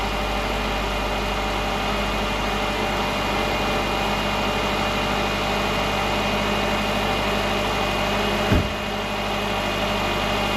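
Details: 2010 Subaru Forester non-turbo after repair of a timing belt broken at 8000 miles and engine reinstall, first run: steady, even idle with a smooth low hum, no knocks or misses, one brief clunk from handling; engine healthy.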